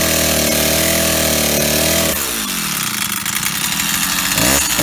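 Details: Old Stihl 08S chainsaw, first start in a while on old gas, running off choke: screams at full throttle, then drops and labours in the log; knocking, top or bottom end unknown, very low on power.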